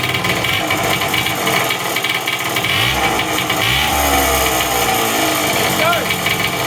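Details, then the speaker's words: Custom Puch two-stroke moped after head studs cleaned and new base gasket: buzzy idle with hissy, airy edge and wandering revs; air heard whooshing from leaking clutch-side crank seal, stator-side seal looks okay; needs rebuild. "All right, so it runs. It definitely is going to need a rebuild. I can hear the air whooshing out the clutch side seal."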